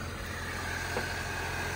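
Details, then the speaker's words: Saab 93 idling after service and rocker cover repairs, on a very hot day: smooth even idle, steady low hum with faint constant tone, no misses, zero engine shaking; left running five minutes to check for leaks; normal idle. "Beautiful, zero engine shaking. And now let it run for 5 minutes."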